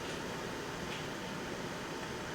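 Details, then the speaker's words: HP DV9000 laptop cooling fan after high-speed mod, switch flipped from normal to 100% high-speed mode to cool the Nvidia GPU and CPU: steady airy rush, a little louder, no rattle or wobble; fan healthy at full speed. "but we can flip the switch there she go hear it"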